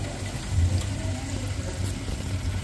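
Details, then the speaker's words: Chaffoteaux Britony SE boiler after main and plate heat exchanger replacement, on heating: steady low roar from the lit burner, even hum with no popping or rumble; normal burner operation. "bur is lit so the heating's working so we just running it and heating now"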